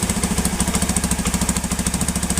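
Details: Honda Beat old, converted to full-wave charging with a Tiger regulator: steady single-cylinder putter about eleven beats a second with no misses; idles evenly.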